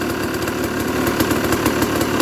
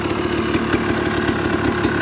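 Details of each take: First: Used dirt bike inspection, single-cylinder idling on choke: with clutch lever released, a loose, irregular rattle of about three ticks a second from the clutch, not the engine; considered normal clutch noise. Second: Used dirt bike being inspected before purchase, started with choke on: quick even single-cylinder idle popping with the clutch in, no ticking or knocking from the top end; clutch rattle when released is normal; engine sounds healthy.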